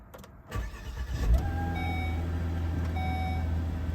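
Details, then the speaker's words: 2011 Volvo S60 with the 300 hp turbo straight six, all-wheel drive, after starter replacement for an intermittent no-crank no-start: a quick crank catches straight away and settles into a smooth idle. The starter was believed to be the fix. "There we go. We're all good. I'll report back if anything acts up, but I'm pretty sure that was a problem."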